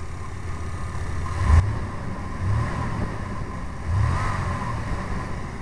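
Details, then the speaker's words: GMC truck engine idling and blipped on wood gas from a homemade gasifier, wood gas valve fully open, air valve adjusted for mixture; deep, steady note that swells smoothly with throttle and settles; runs like on gasoline, owner unsure if too lean. "sounds like it's running good I don't know how much power I'm going to have"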